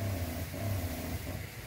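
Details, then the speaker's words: 12 V battery-powered entry-level soft wash pump on a tank: low motor hum surging unevenly under load rather than a steady drone; owner suspects a system leak or low water, unconfirmed. "so I'm going to call it a positive day on that one doesn't sound good though does it"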